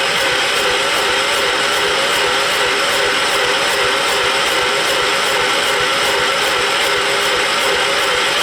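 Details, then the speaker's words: John Deere 212 lawn tractor, engine thought to be a 12 hp Kohler, on battery charger: steady starter whir with even compression pulses that never catch; cranks but won't start, smoke puffing out, owner suspects possible head gasket. "And it sounds like it's got enough compression to run, but"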